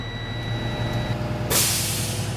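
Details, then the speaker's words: Air brake truck governor cut-out test, engine started to build pressure: steady low idle rumble, then a sharp hissing burp as the air dryer purges when the governor kicks out at 125 psi, under the 130 psi limit; normal, fully charged. "And there you hear the truck burp. My system is now fully charged. And my governor kicked out at 125 psi."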